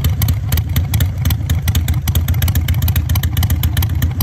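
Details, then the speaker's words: Harley-Davidson V-twin fitted with manual idle air control valve, RPM dropped down: slow loping uneven thump at low idle near 900 rpm, steady with no clatter; normal low idle. "so anyway um I'm going to fire up the bike and uh drop the RPMs down so you guys can hear it"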